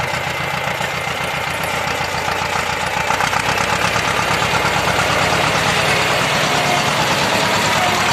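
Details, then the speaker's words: T-25 tractor diesel after repair (new throttle cable, new brake drums, final-drive gaskets and seals replaced, brakes adjusted): it catches and settles into an even, steady chug with no knocks or misses, idling normally. "А так, нормально працює."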